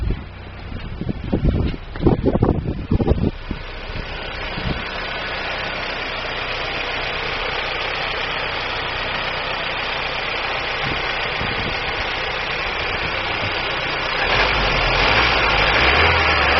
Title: DAEWOO NUBIRA 1999-MISFIRE, 2.0L (DOHC)